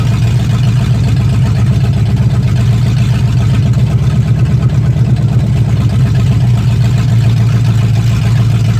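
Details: 1965 Mustang fastback, 289 V8 with Tri-Y headers, first start after sitting 44 years, freezing cold day: steady, even low rumble at idle with no knocking or misfire. Normal idle with good spark; only a dripping carburetor needing a rebuild.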